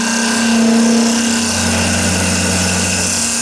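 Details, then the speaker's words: Hollowing the inside of an ash/maple segmented bowl on a wood lathe with an AR90 tool, work held on a glue hub and waste block: steady whirring cut with a rhythmic thump about four a second. Tool chatter from too low lathe speed; raising the speed cured it. "So that thumping. I don't really like the sound of that, so I'm going to go up a little in speed."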